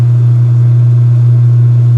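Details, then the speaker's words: Speed Queen washer washing sheets, spin cycle picking up speed after draining and rinsing: loud steady low motor hum with audible pitch change, motor resonating more at low speed than high; no knocking or scraping, normal spin. "Yeah, you can hear the pitch change. It's amazing just how much more the motor resonates on low speed than high, you know?"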